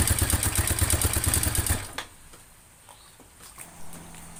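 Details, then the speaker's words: Yamaha Mio Sporty: fast, sharp metallic ticking from the cylinder head over the idle before shutdown; owner suspects low or no oil reaching the head, valve area not yet opened. "Mio Sporty Mio Sporty suara kasar di bagian head atau kop indikasi kehabisan oli atau kekurangan oli"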